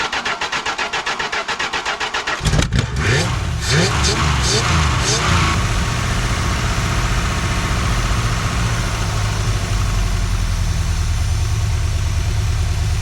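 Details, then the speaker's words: 1974 Chrysler New Yorker 440 big-block V8, revived after sitting, radiator cap missing, temperature about 128–130: a couple of seconds of cranking, then it catches and settles into a steady, even V8 idle with no misses or knocks. Normal idle. "That's a nice idle. Yeah, I mean, at least it's doing that. All right, well, she's running like a top."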